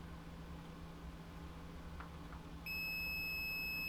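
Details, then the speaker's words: Original Xbox One with no power: quiet room hum, then a single steady high beep as it tries to power up and shuts off; power-on beep then shutdown, cause unknown. "day turned out for a Split Second oh it's trying so it's like a maybe a beep bomb beep off"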